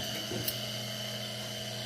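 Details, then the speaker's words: Farm fertilizer injection pump motor run on bench after fixing loose connector: steady, even hum with high whine, no knocks, rubbing or surging; runs smooth, owner doubts brushes or capacitor at fault, checking gearbox. "sounds good, runs smooth. So unless the brushes are bad, or I don't think it would even run if a capacitor was bad."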